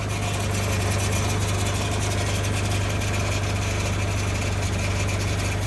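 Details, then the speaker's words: Audi C4 A6 12-valve 2.8L V6 at cold start idle: fine metallic ticking over the engine note, present for years, fading and running quiet once warm; source unknown. "kind of a weird metallic type sound, but soon as the car warms up, it sounds quiet. It'll start and run quietly."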